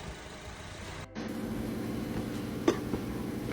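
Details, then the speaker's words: Engine shaking violently at idle, as if trying to jump out of the engine bay: a rough idle with an uneven, repeating low thump about four times a second and one sharp knock; worn motor mount bushings are suspected, not confirmed. "A customer sent this video to the mechanic asking why their engine is trying to jump out of the engine bay. Those motor mount bushings have probably disintegrated into dust."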